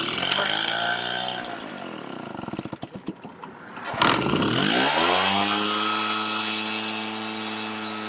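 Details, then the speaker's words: RedMax EBZ7500 backpack blower two-stroke, after fresh fuel, aftermarket Chinese carburettor and smaller kit fuel filter: stumbles and cuts out briefly, then refires and holds a steady, even drone, running properly. "this is the fuel filter and i replaced it with the one that came in a kit significantly smaller but now it runs"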